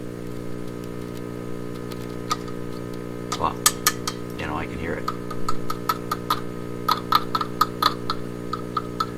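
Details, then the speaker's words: Symphonic 242-A8 suitcase record player: loud constant low hum through the speakers over handling clicks; cartridge works on both channels, so a power supply problem, likely capacitors. "you hear the hum blaring away so we know there's a power supply problems"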